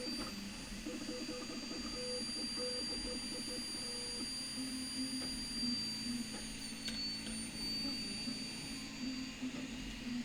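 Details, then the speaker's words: Anet A8 3D printer printing first layer: thin, steady very high whistle like a dental drill over soft stepper tones, from air through the part-cooling fan shroud; printer otherwise very quiet. "it was like a whistle effect from the uh the cooling shroud holy crap that sounds exactly like a dental drill"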